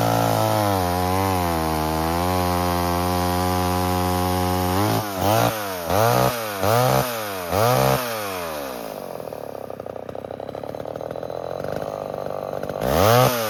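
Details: 1978 Homelite XL12 two-stroke chainsaw, revived after years of sitting, cutting firewood. Strong howl that sags in pitch on each of several quick cuts and recovers cleanly; running healthy.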